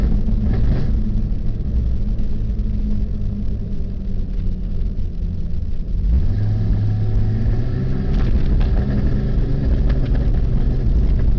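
Engine runs with a deep rumble and an uneven, stumbling beat instead of a steady note, pointing to a misfire.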